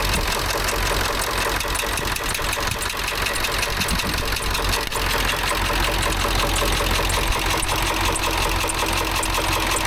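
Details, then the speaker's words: Ford F350 dually, 7.3 Power Stroke, after replacing a bent pushrod: uneven idle with an irregular heavy knock roughly twice a second through the clatter; valves all appear to open properly, knock cause unknown. "Something in that motor don't sound very good though. No idea what that knock"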